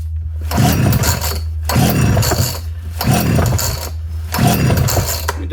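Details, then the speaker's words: Homelite Super 240 Classic chainsaw unused for over 20 years, choke on: four pull-cord rasps spin it over with no catch; fuel is reaching it and coming out the muffler, but it cranks and won't fire. "sounds like it wants to fire I didn't put a ton of gas in it but yeah might be leaking a little bit yeah definitely coming out the muffler I got fuel coming out of the muffler so definitely got fuel fuel flowing through it but it's not wanting to fire"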